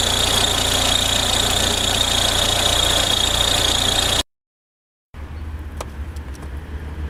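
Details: Audi A4 B6 1.9 TDI diesel idling: constant high-pitched whine riding over the clatter; worn accessory belt tensioner pulley bearing.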